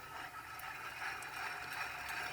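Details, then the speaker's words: 2006 Chevrolet Impala hub assembly removed and spun slowly by hand: dry, gritty rasping with faint irregular clicks. The hub showed heat from friction. Any noise when the wheel is turned means a worn wheel bearing; it causes a low hum when driving. "a little different sound when there's no pressure on it like when the wheel is on are you going down the road is a little different sound but you're not supposed to hear anything when you turn that wheel better that's one way you could tell the wheel bearing is bad"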